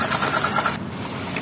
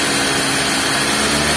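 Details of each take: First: Suzuki Ignis manual, engine bay near the belt drive at idle: steady coarse growl with a whining edge centered on the V-belt tensioner while the alternator and water pump stay smooth; worn belt tensioner bearing, to be replaced. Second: Suzuki Ignis, manual transmission, after replacing the V-belt tensioner bearing that caused a rough growling noise: smooth, even run at idle and when revved, with no growl underneath; normal engine running.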